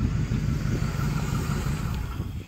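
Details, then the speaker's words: Chopped 1949/1950 Ford coupe after tune-up, idling about 750 rpm, timing set 0–2 degrees after TDC, side exhaust with glass packs: deep throaty rumble settling as revs drop, clean firing; normal rev. "it's running pretty damn good now it's got the side exhaust with some glass packs"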